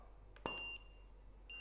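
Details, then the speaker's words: Neewer flash at full (1/1) power with beeps on: a sharp pop, then a steady high ready beep within about a second and a second beep; fast, normal recycle. "okay recycle time at 1: one is pretty impressive um I'm leaving the beeps on so you can hear it I hope you can hear it that's pretty fast recycle"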